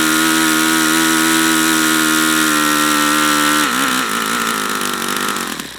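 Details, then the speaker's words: YS FZ63 model glow engine, first run, 22% nitro / 18% oil fuel, OS F plug: screams at a steady high pitch, then sags and wavers instead of reaching full throttle; owner suspects debris in the fuel regulator, unconfirmed. "I don't understand why it's not going to Full Throttle now what am I seeing in here strange stuff there we might have some garbage in this fuel regulator that's going to need to be cleaned out"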